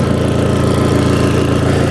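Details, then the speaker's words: Crash-damaged Audi TT being rebuilt, new catch can and induction kit, no exhaust fitted, on axle stands just after first cold start: steady even low drone with fast regular pulse, no knocks or misses, quieter after loud cold start; normal idle. "A bit loud from on that cold start, but it's gone quiet now."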